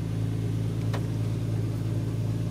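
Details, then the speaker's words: Warmed-up 2004 Infiniti FX35 with hesitation and P0507 idle-too-high code idles with a steady even hum, no misses, at about 1200 RPM, before a throttle valve/idle relearn with a scan tool. Idle running too high. "as you can see in here our idle is more than 1,000 that's probably 1,200 RPM"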